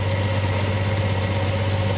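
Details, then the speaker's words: 1997 Audi A4 2.8 Quattro 12-valve, random and cylinder 2–6 misfire codes worse after new coil pack and plug wires: lumpy, shaking idle with an uneven pulse; owner thinks fuel arrives but is not igniting, cause unknown. "I do have a new fuel filter but I don't think that's the problem is getting fuel it just it's not igniting"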